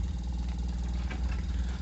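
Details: Samsung inverter refrigerator compressor, driven by the inverter board, whose IPM module monitors U, V and W phase voltage to control compressor speed; steady, even low hum with no knocks or rattles, smooth and unchanging; compressor running normally.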